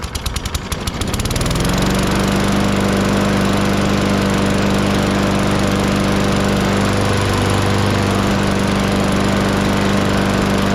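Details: Walk-behind lawn mower (number seven) after the blade was sharpened, the oil topped off and the air filter cleaned, with some oil in the muffler burning off: it catches after a few rough pulls and settles into a steady, even drone. It runs normally.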